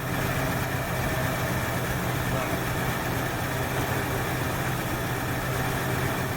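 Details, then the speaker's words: 1968 Ford Fairlane after flooding-carb work: low, steady idle, slightly uneven, smoother than before; a plug or two thought fouled from long rich running, with a little tune planned. "well that sounds better so i think she fouled out a plug or two so i'll try a little tune again"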